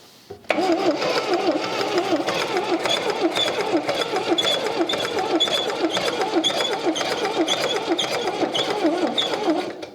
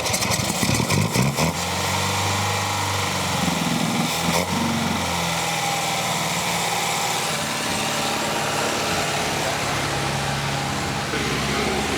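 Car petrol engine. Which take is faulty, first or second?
first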